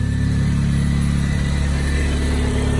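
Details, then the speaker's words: Supercharged Mini Cooper S, jump-started after fixing a mystery air leak: a steady, even low idle with a smooth pulse and no hiss, stumble or hunting. The air leak repair appears to have fixed it. "sounds absolutely perfect now so i'd probably say that has fixed it"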